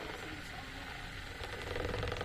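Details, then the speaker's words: Maspion standing fan on speed 1, before repair, motor still on bushings. Quiet run with a dry, ratchety rattle and grumble from the motor; rotor shaft bushing worn, dry and dragging; to be converted to bearings. "Jadi saya akan langsung coba nomor 1. Tuh. Di sini kedengeran dia ada suara geladragan."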